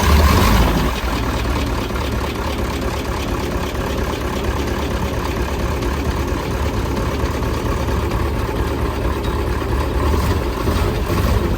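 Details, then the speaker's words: Diesel truck at about 3000 m in the Andes runs very badly, with a loud, uneven, lumpy idle. A makeshift patch on the leaking fuel hose still leaks, so air is drawn in where the diesel escapes. Finding: air in the diesel fuel line. "so I don't know if you can hear it but the truck is running very badly because there is air entering when the diesel comes out"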